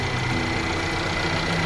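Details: Mercedes-Benz CLA W117 petrol after water pump and pulley (broken bearing) replacement: steady, even idle with the squeal from the front of the engine gone; previously coolant leak with Top Up Coolant warning.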